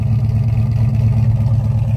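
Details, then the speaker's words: 1966 Chevrolet Chevelle SS 396 cid V8 with five-speed manual, after extensive repairs to cooling, wiring, exhaust, brakes and more: deep, even V8 burble at idle, smooth with no knocks or misses. "i mean listen to how nice this car idles [Music] yeah how good does that sound oh"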